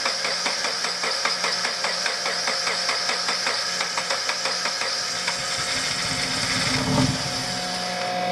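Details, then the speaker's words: Subaru BRZ (dual-injector system) on a new short block, first start after fuel lines were hooked up wrong and flooded it, gas running out the air intake; uneven, stumbling idle that staggers and nearly dies, choking on fuel. "it's trying it's going to suck a lot of that gas out so don't use the throttle just let it idle because there's a lot of gas on that intake it's just choking"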